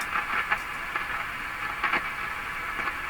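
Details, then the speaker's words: Canadian General Electric C403 tube radio during alignment near 460: irregular short crackles and pops over faint hiss when the tube is wiggled; suspected contact changing with the tube sleeve, not tube pins, unconfirmed. "So I think as I wiggle the tube, this contact is changing with the sleeve, and that's what we're really hearing. I don't think it's tube pins."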